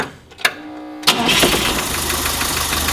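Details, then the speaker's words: A project 2002's engine gets its first start since about 1987, roughly 30 years dormant, with the fuel pump running. The starter whirs briefly, then the engine catches quickly and settles into a steady, even run with no knocks or grinding, a normal start and rev. "It's the first thing you gotta do when you start a motor for the first time, you just rev it up. Hasn't ran since like 1987."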